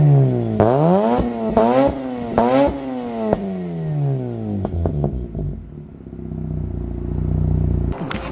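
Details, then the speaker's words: 2005 Mazda RX8 rotary with Turbo XS catback and mid-pipe: sharp revs climbing and falling, then a smooth burbling idle; clean, even exhaust note with little drone and no rasp, strongest at higher rpm. Normal exhaust note. "it sounds really good there's not a lot of drone as well and it's not a raspy at all you could really hear it in the higher rpms it sounds really good"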